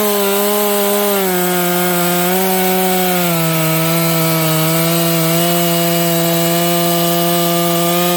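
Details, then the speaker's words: Stock Dolmar 7300 chainsaw cutting with the high jet opened fully to the limiters; loud steady high-revving buzz, pitch barely dipping, little four-stroke burble. It was four-stroking but not as much as wanted, sounds a little lean, got quite warm; carb limiters need removing. "This saw actually got quite warm in those few cuts, so make sure your saw is 4-stroking. This one was, but not as much as I'd like."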